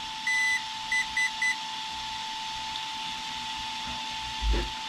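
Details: Traxxas XRT with Hobbywing Max5 G2 ESC during calibration: one long high beep then three short ones, no confirming tone; ESC won't take neutral, suspected fried receiver throttle channel.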